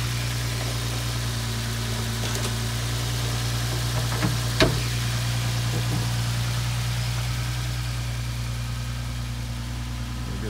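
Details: Nissan GT-R bought in thrashed condition, engine idling with no engine trouble codes on a scan: steady, even idle with a smooth low hum and no knocks, ticks or misses. Engine sounds healthy.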